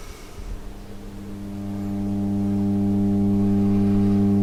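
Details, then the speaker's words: Siemens Meistersuper radio, restored in 2012, suddenly failed after seven years: with volume at zero a steady low hum swells in and holds constant pitch; mains hum, filter capacitors suspected. "On the face of it, that sounds like filter caps, which I thought, really, after 7 years?"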